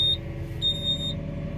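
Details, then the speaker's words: Volvo EW140C wheeled excavator at diesel idle after the attachment is released: a shrill buzzer pulses about once a second, still sounding while the bucket is re-coupled until silenced by a switch. Quick coupler warning buzzer. "teraz żeby zapiąć łyżkę z powrotem naciskamy jego dolną część jak słyszycie Piszczyk dalej działa"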